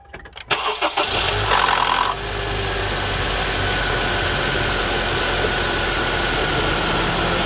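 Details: 2014 Honda CR-V cold start in the morning: brief crank, then a harsh gritty grind before a raspy steady idle; grinding persists after the VTC actuator was replaced, source unclear.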